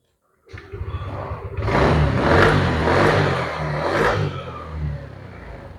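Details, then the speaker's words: Yamaha Aerox 155 scooter that stalled with error code 12 (CKP sensor circuit) after wiring connection repaired: fires instantly, revs cleanly, settles to even idle; starting and running normally. "Motor sudah kembali normal, sudah nyala normal seperti biasanya."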